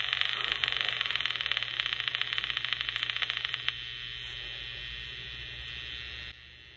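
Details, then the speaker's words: IBM 224 Magnabelt dictation machine, motor running after jumping an open switch: rapid crackling electrical buzz through the amplifier hiss, then fading; motor very weak, brushes and commutator too worn to run consistently. "once i got the motor running i discovered that the motor was very weak and you can hear the brushes really creating a lot of electrical noise through the amplifier"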